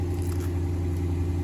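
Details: 2009 Infiniti FX50 after replacing a coil pack for code P0302: deep, steady, even idle hum with no misses or stumbles; firing smoothly on all cylinders.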